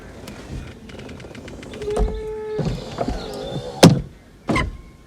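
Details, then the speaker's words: Audi A4 convertible roof hydraulic pump, removed, repaired and powered directly, hydraulic fluid very low: the electric whine wavers and sags for about a second amid clunks. The pump labours from low fluid; needs a top-up. "that is going to work, but I'm not going to risk it with the hydraulic fluid so low that it is in there. You could hear it struggling a little bit there."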